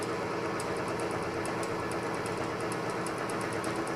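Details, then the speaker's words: Oil-lubricated test rig with BestLine additive added, around 184° temperature, load climbing toward 39–40 ft-lb: quiet steady hum with light soft ticking, no squeal, grinding or seizing; quieter than without additive; normal running under load. "But you can see it didn't even seize, didn't even have a problem, wasn't even squealing."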